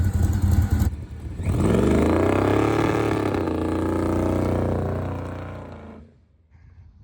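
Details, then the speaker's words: Carbureted Nova drag car with the two-step set at 4400 rpm: revs climb, then hang rough and stutter, banging off 4400 instead of revving clean; a carburetor issue is suspected, not confirmed. "Definitely breaking up. So, it had a 4400 in the two-step and it kind of sounded like it was banging off the 4,400 and it wasn't revving very clean."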